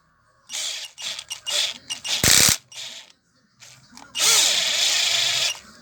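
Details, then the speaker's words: Hammer PLI12 cordless drill, battery at 11.5 V, after repair of clicking, strange noise and no reverse; spins up in bursts then steady even motor whine with no grinding, holding torque well under load; repaired. "segurando bem a a tração, né? Bem bacana."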